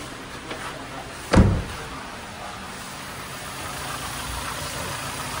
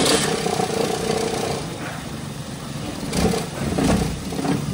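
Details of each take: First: Toyota Avanza engine after rebuild for knocking (new liners, piston rings, connecting rod and main bearings, valve seating) settles into a quiet, even idle with no knock or tapping, during break-in; formerly it knocked loudly. Normal idle. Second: Toyota Avanza gasoline engine idling with heavy vibration and an uneven, breathing-like surge and stumble; exhaust smoke smells sharp, as if fuel isn't burning properly, despite new spark plugs. Misfire traced to shorted oxygen sensor wires.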